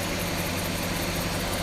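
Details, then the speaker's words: 1966 Ford Galaxie 500 V8 at steady, even warm idle with a smooth low rumble after Pertronix electronic ignition replaced arcing points and the carburetor was adjusted. It previously missed badly off idle; now it runs like a clock. "that took care of the engine performance says she the engine runs like a clock now as you can see"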